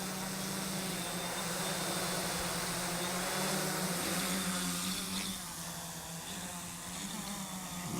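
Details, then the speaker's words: 550-size hexacopter with poor throttle response, barely lifting at 50% throttle: motor whine wavers and pulses up and down about four times a second instead of holding steady; motor throttle surging; owner unsure whether the throttle signal is being received. "but it's like it's not receiving throttle signal or i don't know i don't know what it is"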